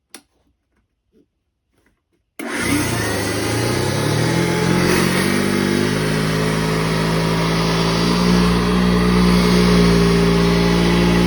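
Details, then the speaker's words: Eureka vacuum cleaner, run without a bag: silence, then the motor spins up to a steady high whir with a rough scraping edge underneath, sounding like a belt grinding against a fan; cause suspected, not confirmed. "That sounds like a belt grinding against a fan."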